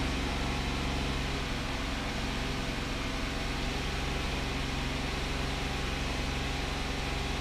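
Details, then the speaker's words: 2009 VW Touareg 3.6L with codes P0507, P2187 and P2189 (lean on both banks), rpm raised slightly above idle. It runs uneven and shaky with a low rumble; the lean roughness is from an internal air leak. "this thing feels kind of shaky too"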